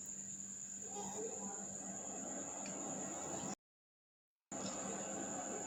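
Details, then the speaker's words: Seagate 1 TB 3.5-inch hard drive after electronic repair with soldered component replacement: faint steady high whine with low hum underneath, no clicking or scraping; normal hard drive spin. "hear the spin sound so i think it's fixed"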